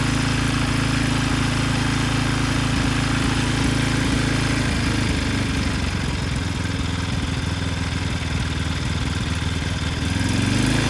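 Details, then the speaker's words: Briggs & Stratton 10hp engine (model 204312-0171-B1) from a Husky generator, rebuilt after a blown connecting rod from no oil, with new rod, new piston and used crankshaft, first run outdoors in wind: steady even single-cylinder beat, no knock or rattle; runs healthy. "But the good news is the engine started right up and it sounds good. So it is ready to be put back on the machine."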